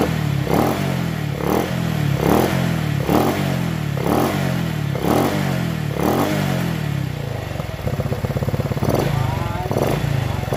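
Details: Honda Revo FI injection single-cylinder after engine teardown, new cylinder block and connecting rod replaced because a clogged oil filter starved oil pump circulation; throttle blipped about once a second, then smooth even idle, no knocking or clatter: normal idle.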